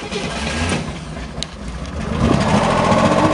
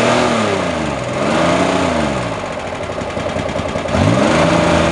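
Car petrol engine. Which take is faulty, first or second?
second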